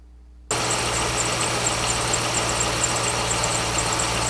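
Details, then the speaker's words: Petrol engine at idle with faint high-pitched squeaky chirps about three times a second from the accessory drive; soap is applied to the serpentine belt to test whether the squeak stops or fades. "so therefore if the belt is the cause of the squeak when we apply the soap that squeak should either go away temporarily or at least be reduced"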